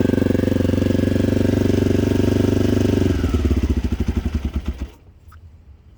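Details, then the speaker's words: 1987 Honda XL250R RFVC single-cylinder barn-find dirt bike with Supertrap exhaust, fresh gas after years sitting, cold start: soft, even idle thumping about four times a second, then slowing and stopping; quiet, healthy, normal idle. "folks this thing started right up probably wants to be warmed up a little bit but that was not a bad cold start man"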